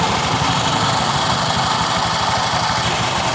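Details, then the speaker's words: 2015 Honda BeAT Pop scooter with a rough knocking noise that grows with throttle: dry raspy hiss and faint chirp over the idle from the CVT drive belt, which quiets when wetted with water; belt is worn. "jadi seperti itu terdengar di bagian dari pambelnya juga sudah saya ulangi di bagian fambelnya juga terasa bunyi seperti ini"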